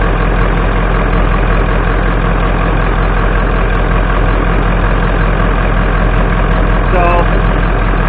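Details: 1996 Ford F250 7.3 Powerstroke diesel idling in a barn after a cold 30°F start following 2.5 years sitting, before an oil change; loud steady low clatter, even, no misses or knocks, healthy warm-up.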